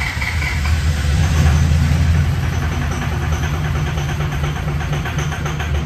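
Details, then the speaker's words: Newly built SoCal Diesel twin-turbo 1,000hp Duramax diesel at first fire-up: loud lumpy running with uneven, stumbling beat under slight throttle; injector harness suits the wrong firing order. "uh yeah as you all could probably tell that was not what I was expecting her to sound like and I don't think that's what y'all expected or sound like either"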